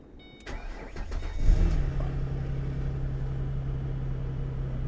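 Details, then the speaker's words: Car at an auction yard: starter cranks briefly, engine catches with a quick flare, then settles into a smooth, even idle with no knocks; engine sounds good, normal start and idle. "engine sounds good okay what do we have going on here"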